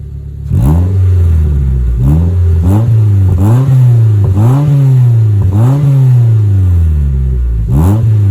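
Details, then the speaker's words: Mazda 3 four-cylinder revved in short blips just after new spark plugs and an intake mod, heard from behind the car. Pitch climbs and falls smoothly with audible intake suck and no stumble or miss; running clean, no engine light. "sounds good I like the sound of it"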